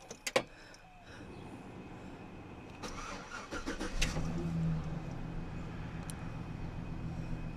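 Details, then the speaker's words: Truck engine after oil pump and pickup tube replacement, fixing 8 years of low oil pressure and cold-idle knocking: short crank, catches, steady even idle, no knock; pressure now a little below 40 at idle, about 60 driving; normal cold start. "It goes a little bit below 40 on idle, and when I drive it, it goes around over here around 60. But there's no more knocking."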